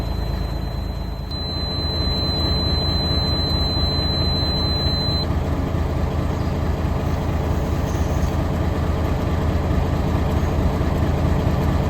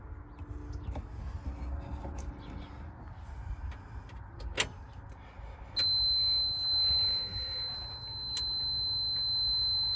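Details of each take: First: M923A1 5-ton military truck at diesel idle after its air brake low-pressure switches were replaced: a thin buzzer stops after about four seconds as air pressure reaches roughly 70–80 psi, so the alarm cuts out normally. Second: M923A1 5-ton military truck, running, after replacing a bad air brake low-pressure switch: shuffling, then steady high-pitched constant buzzer with red blinking light; low air pressure alarm active before tanks reach pressure.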